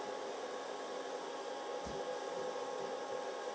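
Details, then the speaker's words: Twing/Maxpart 1000 W pure sine wave inverter, just warm after hair-dryer load, with the dryer switched off: the small cooling fan gives an even, quiet, airy whoosh with no rattle or whine. Normal cooling fan running. "Oh, the fan just kicked on. I heard it. It's real small, but you can hear it."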